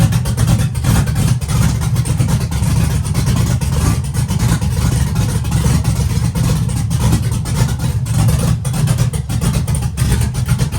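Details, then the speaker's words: Chevy truck with big-cam V8, on new tune adding timing to the startup table: heavy choppy idle that lopes and wavers in speed; rough, owner thinks idle speed could be raised slightly, cause unconfirmed. "Could probably idle that up to be honest with me. We could probably idle that up just a hair."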